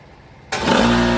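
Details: Air compressor run from 5000 W inverter hard-wired outlet on four 100 Ah batteries at 12 V, tank around 90 psi: quiet, then sudden clean start settling into steady even motor hum with no struggle or stall; compressor starts normally.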